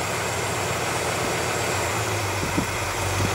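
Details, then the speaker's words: 1967 Impala V8 idling: steady spray hiss as carb spray is applied, engine note firming when it reaches leaking carburetor gasket above the riser (base gasket fine); gasket found marred and replaced. "so that bottom gasket fine uh it's this one above the little Riser there that's not okay and you can see when I spray"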